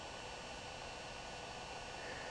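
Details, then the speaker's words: DJI Phantom 2 Vision camera pitch gimbal after replacing the OEM servo with a Hitec HS-5055MG digital servo: soft steady hiss with faint high whine from the camera transmitter fan, no typical servo whine, quiet normal operation. "other than that, you do not hear the typical servo whine from the original OEM servo."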